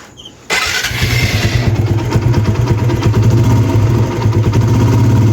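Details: TVS Apache RTR 160 after replacing the timing chain tensioner assembly: starts and settles into a steady, even idle thump with no rattle or chain slap.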